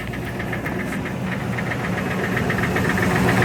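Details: 2006 Toyota Tundra 4.7 V8 at idle: steady, sharp, fairly even tapping knock about four per second, growing slightly louder; source not yet identified.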